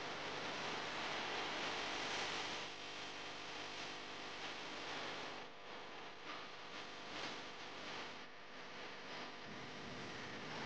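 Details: Household electric fan after oiling its tight, dry motor bearing (previously only hummed without spinning): even airy whoosh with soft steady hum, no grinding; fan now spins freely and sounds healthy.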